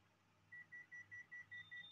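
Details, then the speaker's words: Panasonic inverter AC indoor unit error-code check by remote: eight quick even high beeps, about five a second, confirming stored error code F95. "आपको 95 कारण मिल रहे हैं, F95 पर beep की आवाज़ देना। इसलिए आइए पता लगाते हैं।"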